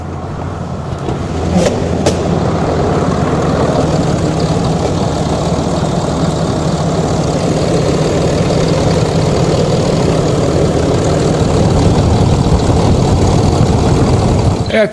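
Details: Truck engine after reinstalling injectors and a Banks intake, codes cleared, first start; steady, even idle with smooth low rumble, no knocks, misses or ticks; normal idle.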